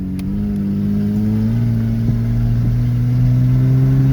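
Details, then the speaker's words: Kia at about 200,000, on a test drive after its plugged air filter was fixed, pulls with a smooth, even rising engine note and no stumble, hesitation or misfire. "Let's go, the car is go. The car is go. The car is go, man."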